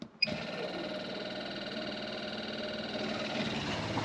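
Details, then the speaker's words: Replacement Shurflo habitation water pump in a Benivan 120 campervan, fitted after the old pump failed from frost damage: click at switch-on, then a steady even buzzing hum building pressure and filling the hot water tank. It cuts out once pressurized; normal. "Now that sounds a lot better than the old one. Okay, right. That was the pump operating, building up pressure and filling up the hot water tank."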